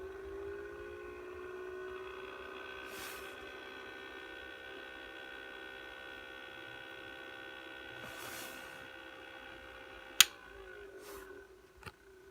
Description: Beurer humidifier lb44 developed a loud buzzing and grinding noise